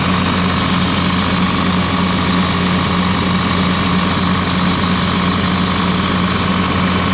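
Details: Ex-US Army Cat D6R bulldozer diesel, 822 hours, valve cover loose, injectors dropped: drones with an uneven, lumpy beat under a steady roar; cylinder missing, running rough, cut-out test shows number 6 injector not reacting.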